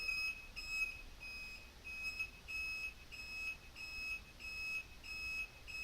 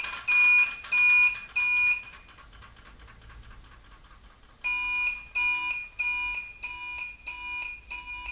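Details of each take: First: Bobber motorcycle, replacement blinker relay covered with electrical tape: high electronic beep about ninety times a minute with the blinker, muffled but still plainly audible; quieter than before taping, blinkers flashing properly. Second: Newly replaced blinker flasher relay on a bobber motorcycle, tested before reassembly: loud, sharp, high beeps in even bursts, roughly ninety-odd a minute, in step with the indicators; the relay works but sounds terrible, later quieted somewhat with electrical tape.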